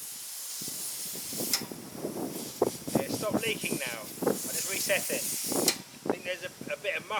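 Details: Petrol-engine-driven air compressor that reached about 85 psi then lost pressure: sharp hissing bursts of air escaping at the unloader; owner suspects muck in the unloader.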